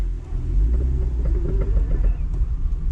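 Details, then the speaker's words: Vauxhall Corsa C at full steering lock: rapid, regular clicking over low road rumble as the wheels turn, a worn outer CV joint, likely driver side; both outer CV joints and a lower ball joint to be replaced. "the outer ones because when you full lock it it clicks i'll show you so when you fully lock the steering wheel"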